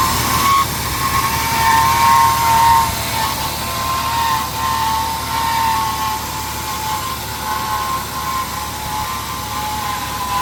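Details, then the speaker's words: 1998 Ford Explorer, sat five years, engine racing near 2,000 rpm: steady high squeal holding pitch over the running engine after belt conditioner; owner suspects power steering pump area of the accessory drive, not confirmed. "sounds terrible. Noise is primarily coming from somewhere right here."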